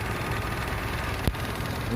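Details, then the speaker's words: Suzuki Amenity petrol engine with a used head, just started after an oil change without a new filter: soft, even idle with a low steady hum and no knocks or ticks, very smooth and nearly silent. Normal idle. "ini bekas olinya, halus banget. Suaranya nyaris tak terdengar dengan memakai head copotan."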